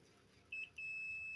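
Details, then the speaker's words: Power cable that trips the electricity when plugged in, tested with a digital multimeter across both conductors: short chirp then steady high-pitched continuity beep, same either probe direction; the conductors touch, cable is shorted. "tuh bunyi ya, berarti ini konslet. Ini bolak-balik sama aja ya, tuh bunyi ya, tit gitu ya."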